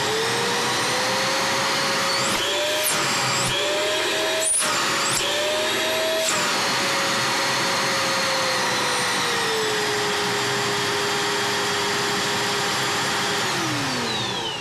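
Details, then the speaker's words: Scarlett SC-280 1600 W vacuum, repaired after water and dirt damaged the motor bearings and power regulator, with the regulator's triac replaced: motor whine rises and falls smoothly as speed is regulated, no grinding or rattle, then winds down gently. Normal. "работает чётко посторонних шумов нету останавливается мягко"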